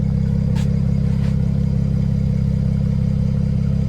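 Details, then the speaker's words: BMW 335i, 3.0-litre, first start after engine rebuild, car on lift: idle settling down after starting, even and smooth with steady low pulse, no knocks or rattles; normal idle. "it has come down now so it keeps on coming down so this is how it sounds like now"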